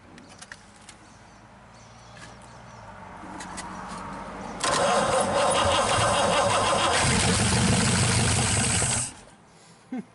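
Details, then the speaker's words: 1963 Pontiac 389 V8 first start after long storage: slow cranking for a few seconds, then catches and roars into a steady strong run for about four seconds before cutting off; normal start. "well I can't believe that see if we keep it running a little bit"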